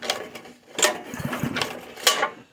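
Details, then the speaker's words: Craftsman rototiller with a Briggs & Stratton 5.5 hp I/C engine, left outside in a garden, with water and dirt in the tank. It won't start, suspected fuel-related; three rope pulls give quick rattling whirrs with firm resistance, showing good compression. "we'll not start i'm pretty sure it's fuel related i have looked it over a little bit it does pull over pretty nicely"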